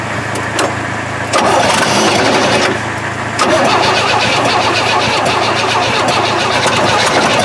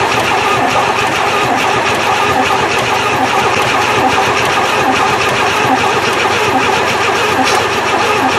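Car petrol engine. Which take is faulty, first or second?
second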